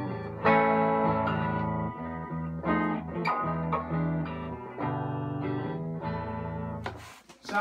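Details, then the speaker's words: Fender Deluxe Reverb 763 tube amp after repair: power supply resistors selected, noisy carbon resistor in reverb section replaced, transformer screw shimmed with washer; clean chords and bass notes play with no hum or crackle, amp sounds healthy. "good good uh no audible hum don't hear any artifacts"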